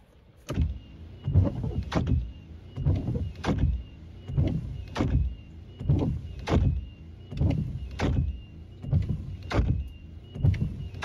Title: Wiper Blade Noisy Reduce/Eliminate Wiper Noise Quiet Wipers